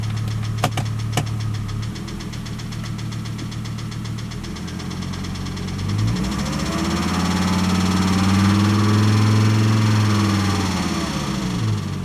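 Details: 1998 Volvo S70 T5 at idle, first noticed as a ticking noise: deep even knock about 220 per minute that quickens and hammers harder with revs; ended up being rod knock.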